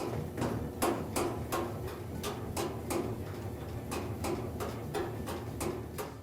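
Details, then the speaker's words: Top-load washing machine on spin, shaking uncontrollably. Loud, hard bangs about three a second sound over a low rumble as the tub knocks, a sign of worn coil-spring suspension or dampening. "If your top load washer makes a loud banging sound and spin cycle shakes uncontrollably or bounces around your laundry room you"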